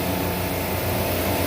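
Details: Walk-in freezer refrigeration rack after opening the suction ball valve: steady low compressor drone, amp draw rising, fans speeding up; liquid flooding back to compressors with no superheat, sticky frost on the line, technician suspects a check valve not holding.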